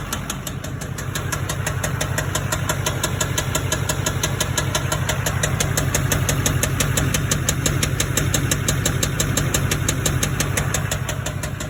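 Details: LBZ Duramax diesel truck that had gasoline put in it, idling: sharp steady knock about three times a second from a spun rod bearing on the crank; rod knock.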